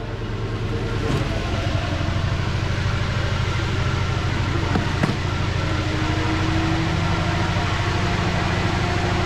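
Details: 2009 Lincoln MKZ AWD, thought to be 3.7L non-turbo, codes P0201 and P0204 (injector faults cylinders 1 and 4), customer says cylinder 4; uneven stumbling idle, likely two cylinders dropping out; misfire at idle.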